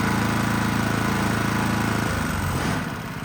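Small single-cylinder engine runs with a steady, even beat, then settles lower toward the end; sounds healthy and running well.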